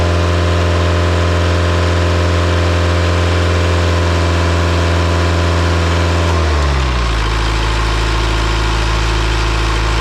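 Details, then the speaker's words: Isuzu 4-cylinder 60 hp diesel from an air compressor, just revived after bleeding the fuel system. Smooth, even drone at fast idle that settles to a lower, steady beat after a few seconds, with no misses, knocks or smoke; normal high idle. "I had no idea we were in high idle, or I wouldn't have started it like that. This thing is running so good. Man, there is no smoke coming out of that stack."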